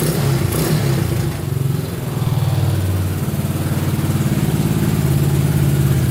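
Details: Honda Big Red ATC 200 (200cc) three-wheeler, barn find sat over 6 years, carburetor reinstalled and since stopped leaking: thump rises smoothly with throttle and settles back evenly, no misses or knocks; normal idle and revving.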